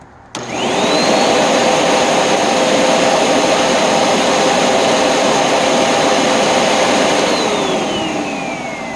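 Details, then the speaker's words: Curb-found Hoover NanoLite vacuum motor run on about 121.5 V while checking current draw, belt burnt and broken; wind-down a bit long but motor shows no serious damage. Snaps on to smooth steady high whine, then winds down: normal motor run. "So that's probably about right. The wind down is a little bit on the long side, but the motor really doesn't appear to have any serious damage."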